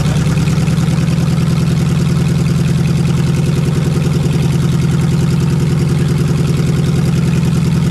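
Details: Lexus 1UZFE V8, barn find first run after 6 years standing, ATF in cylinders, out of the Jeep KJ: loud, deep, even idle, steady rhythm, no ticking or stumbling; running cleanly.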